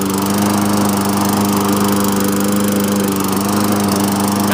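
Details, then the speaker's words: 2007 Toro mower with a Tecumseh engine. Primed three times, it starts on one pull and gives a steady, even single-cylinder drone with no misses or hunting; running healthy. "Yeah, fires up 1 pull. Runs good, drives good too. It drives nice and good for driving."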